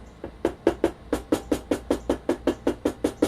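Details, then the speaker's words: Stock, unmodified Sony PS-X800 linear-tracking turntable, all screws tight, plinth tapped and recorded on camera built-in mics: rapid taps about 2.5 per second with hollow midrange ringing rattle, most obvious in one quadrant; stock plinth buzzes and resonates. "I would advise you to pay close attention to a rattly type of sound characteristic on the stock 800 you can especially hear it here it's really obvious in that quadrant"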